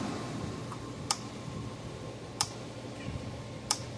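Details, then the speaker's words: Gallagher B1600 / MBS1800i dual-powered AC/DC fence charger: sharp evenly spaced clicks about every 1.3 seconds but output light not flashing, no output; suspected bad output board or transformer. "hey it's clicking but that light right there is not flashing so two things that could be either that output board's bad or the Transformer that's sitting underneath it it's bad"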